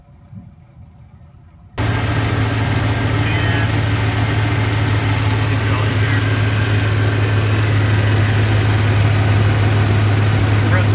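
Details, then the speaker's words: GM Suburban, AC compressor clutch intermittently not working, started after adjusting the clutch air gap: quiet, then the engine catches and settles into a steady, even idle with a firm low hum as the compressor engages normally. "I think I'm gonna go ahead and just crank it up and we'll make sure the compressor kicks on"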